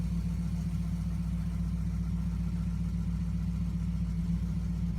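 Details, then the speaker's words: 1960 Pontiac Ventura V8 that ran badly in the cold, still a little cold and idling in reverse. Low, even burble with a steady pulse, not too high and no bogging; smooth cold idle. "that's not running too high doesn't feel like it's bogging down at all still a little cold a fella stumbling it's to be expected"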